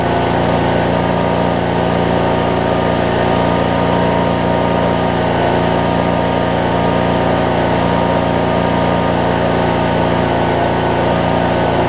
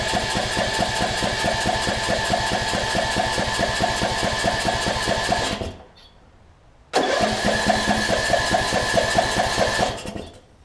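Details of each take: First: 2007 Craftsman LT2000 riding mower, Briggs & Stratton engine, after backfiring-on-start issue: steady, even idle about three pulses per second, no misses or pops; runs and drives good. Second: 2007 Craftsman LT2000 riding mower with a Briggs & Stratton single-cylinder engine, which had sat a while and backfires on starting. It is cranked, spins in pulses twice and won't catch; it seems to get no spark.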